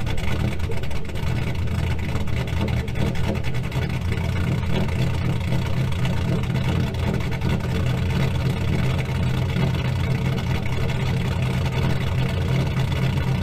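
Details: 2000 GMC Sierra 5.3 V8 with Texas Speed Stage 3 cam (.550/.550, 216/220, 112 LSA) on factory stock tune, cold after start; deep, steady low rumble with slight uneven pulse while warming up.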